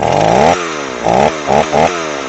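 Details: Old Stihl 038 AV chainsaw after a carburetor swap, freshly fueled. The two-stroke idle keeps surging and sagging in short bursts instead of holding steady. Unsettled idle; owner suspects worn, never-changed crank seals causing an air leak.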